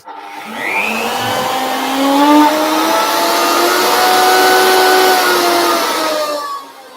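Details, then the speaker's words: Router table with stile and rail cutter spinning up: rising whoosh with whistling tones as speed climbs, air compacted against the fence like a planer; louder the faster it spins, normal, not the helicopter sound of a blunt cutter. "the noise will also come off the fence a little bit it is a bit like a planer compacting the air as it's coming around clearing the fence the quicker it goes the more it's trying to compact it the more noise it makes"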